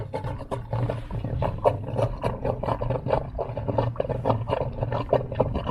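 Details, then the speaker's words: IntelliFlow pool pump hums steadily while irregular gurgling and sputtering break through. Skimmer is plugged and its water level is dropping, so the pump is sucking air and about to lose prime and shut off. "And pretty soon, it's going to end up sucking air and we're going to lose prime. You can kind of hear it gurgling there already."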